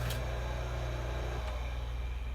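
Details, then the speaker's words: Two-speed 115 V hot tub pump motor after a bearing replacement, running on the high-speed winding: a steady, even low hum with no grinding or whine. Normal running. "And there we go. Sounds good, works good."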